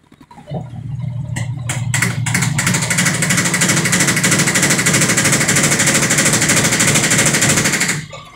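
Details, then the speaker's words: Sharp automatic washer, over 10 years old, very noisy in spin-dry: a few loud bangs as spin starts, then a harsh roar with fast uneven knocking as the loose tub wobbles and hits the cabinet, getting louder at full speed; defective tub assembly. "Yan, sobrang mapalag yung kanyang tab, kaya bumabangga siya, kaya nag-iingay siya. So lalong lalakas yan kapag yan ay nag-steady na ng mabilis."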